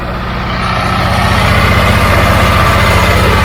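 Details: Old Caterpillar diesel just started after bleeding injector lines; even idle with firing pulses near four per second, building slightly then holding smooth; running clean and settled.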